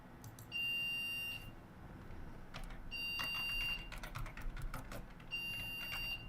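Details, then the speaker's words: Budget PC, AMD FX-8350 on an ASRock 970M Pro3 with 8GB DDR3-1600, at power-on: three long, evenly spaced high beeps, memory failed during POST; a bad RAM stick is suspected. "I think we probably have a bad stick of RAM. It got to the BIOS fine. That was three beeps."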